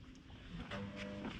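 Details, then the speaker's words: Lamborghini Murcielago Roadster after engine-out service, gearbox hydraulic system bleed with bleed screw open, first of five cycles: faint steady electric pump hum rises midway in quiet garage; pump cycling normally, screw closed when it starts. "Oh, I hear a pump going. When I hear it, I'll close it back."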